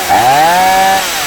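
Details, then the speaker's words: STIHL MS170 chainsaw (about 16-inch bar, broken handle): a brief crisp rev climbs and settles back to a clean, steady buzz. The saw runs good and is in good shape. "Like I said, it does run good."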